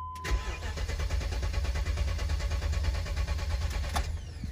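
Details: 2006 BMW X5 4.4 N62 V8, run almost dry then wouldn't start: starter cranks the engine steadily for several seconds but it never catches; voltage confirmed reaching the fuel pump, so the pump itself is suspected failed.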